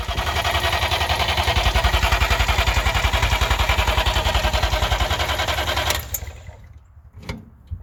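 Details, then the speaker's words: 1958 DKW pickup, three-cylinder two-stroke, long unused: even starter churning about three and a half beats a second, never catches, then stops; temporary substitute tank propped on wood, gravity feed with no fuel pump; crank no-start. "all right we've been having some trouble getting this uh rig started this is not the right tank for it so we've just got it sitting up on some wood here so that the line it's just a gravity feed there's no fuel pump"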